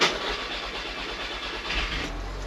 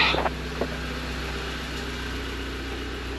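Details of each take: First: Audi TT S Mk2 8J roadster, manual, after full service with new spark plugs and fuel filter; several slow cranking turns before catching and settling to idle, hesitant start because the fuel system is refilling after the filter change. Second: Audi TT S Mk2 8J roadster, manual, just started after full service with new plugs and fuel filter; smooth, even idle hum with light handling clicks, no misfire or ticking; running fine.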